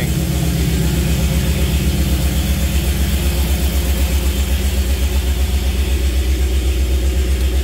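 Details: Jeep CJ5 with Holley Sniper EFI, first start of the engine: steady even idle, smooth pulse around 160 a minute, no knocks or misses; good voltage, but the gauges aren't reading.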